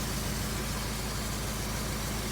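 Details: 2003 Honda CR-V after a timing chain repair: smooth, even idle with a steady low hum and no ticking, knocking or rattle. Owner hears a possible small exhaust leak at the rear. No fluid leaks, no smoke; normal idle.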